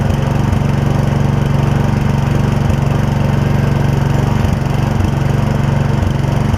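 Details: Old Gravely 16 Professional walk-behind mower with sulky attachment, original parts, sat a while, driven up the driveway: steady single-cylinder beat about three pulses a second, even, no misses or knocks; healthy engine idling and running smoothly.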